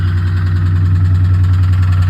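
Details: Impala SS engine knocking at idle, heavy low rumble with a steady rocking pulse; owner suspects bottom end, spun bearing or wrist pin, vibration seems to come from below, oil pressure still good.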